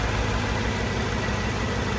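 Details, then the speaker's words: 2010 Mercedes G55 AMG, M113 V8, after replacing all 8 ignition coil packs (following new plugs and wires) to fix rough idle: warm idle, listened at exhaust, even steady rumble with no misfire, nice and smooth. "Nice and smooth there."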